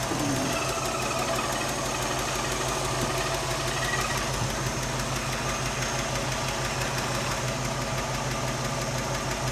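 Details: A '67 Mercury Cougar V8 idles with a light, regular tick of about three per second on one side. Exhaust leaks were found but aren't the main noise; a valve out of adjustment or a failing lifter is suspected.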